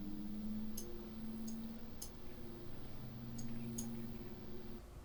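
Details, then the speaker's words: Corsair RS120 ARGB PWM case fan in a Frame 4000D RS ARGB case at 50% duty, about 1050-1100 rpm; quiet steady airflow hum, louder than at 25%, no rattle or grinding, healthy. "So at 50%, we're looking in a region around about 1100 RPM, maybe 1050. It does drop down a little bit. Noise level has increased."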